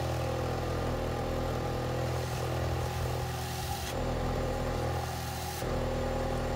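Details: 2006 Ford Fiesta ST after back box repair and new 4-inch tapered stainless tip; idle and blips give a smooth deep even exhaust note, no leak puffing, quiet under the bonnet.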